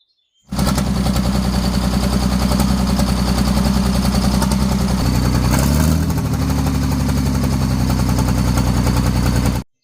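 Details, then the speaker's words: Farmall 460 diesel tractor, recently got running after not running, all glow plugs replaced and bench tested: deep, lumpy chug about three and a half beats a second, uneven and labouring; rough running, cause not yet found. "She runs. Something just doesn't sound right with it."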